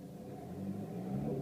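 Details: Renault Megane III 1.5 dCi 106 at idle: steady low hum with a faint constant whine from the engine, heard only inside the car; not the fuel pump, owner suspects the turbo.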